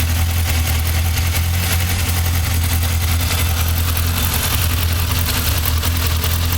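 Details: Yamaha XJR 1200 at idle: a steady low four-cylinder thrum with a faint regular tapping on top; an abnormal engine noise of unknown cause.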